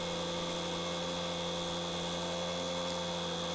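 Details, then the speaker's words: Wood lathe turning a large ash bowl: constant droning, buzzy resonance that never changes pitch; suspected from the long tool rest bar or the 100 mm tool rest extension sections, not confirmed. "you can hear that resonance there now I couldn't decide if that resonance was coming from the long bar or coming from those hundred mill sections I put in the actual tool rest extension"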